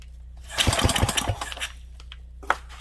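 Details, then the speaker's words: 1967 Briggs and Stratton 6 hp pull-start engine: quick uneven recoil chuffs that never catch, gas smell; bowl full but not picking up fuel, owner suspects float bowl nut missing a plug — cranking, no start. "doesn't want to fire on gas definitely smell gas another shot I guess"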